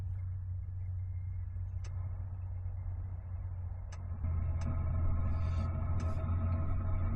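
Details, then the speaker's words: Planar portable 2 kW diesel heater starting up in freezing conditions while truck camping, as the glow plug heats: steady low fan rumble with faint sharp ticks every second or two as the fuel pump starts kicking; normal fuel pump ticking. "You can hear I don't know if you can hear that. That's the fuel pump kicking"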